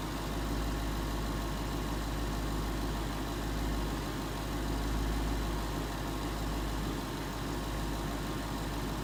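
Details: 2011 Ford Mustang GT 5.0 Coyote V8 with Roush exhaust at first start in an echoey garage, after all eight rod bearings (King CR868SI) and TTY rod bolts were replaced and 5W-30 added: steady, even idle, deep rumble; earlier tick and knock gone.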